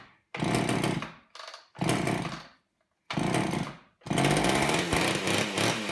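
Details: Old Craftsman chainsaw after unknown long storage, good compression and spark, gummy carburettor: catches and screams in short bursts, dying between each, won't idle or keep running; needs carburettor strip and clean.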